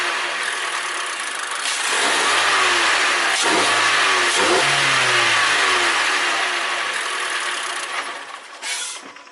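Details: 2014 Mazda 3 2.0 Skyactiv after K&N cold air intake install with sensor reconnected: starter catches, engine fires, then clean crisp revs rising and falling smoothly; healthy running.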